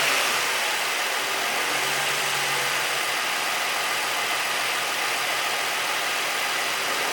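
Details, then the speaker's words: 2008 Nissan 350Z HR V6 started after all six spark plugs were replaced, warming up quickly: a steady, even hum with no misfire, knock or tick, so it runs smoothly. "all right so it's running sounds like it's pretty good"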